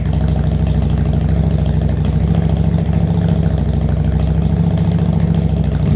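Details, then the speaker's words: 2005 Yamaha V-Star 650, first start with tank back on, cold idle on choke: low, steady, even V-twin idle, no misses or coughing, constant rhythm; running cleanly, warming up before a ride. "all right well we'll let that warm up for a minute or two and then take that for a quick little ride at least"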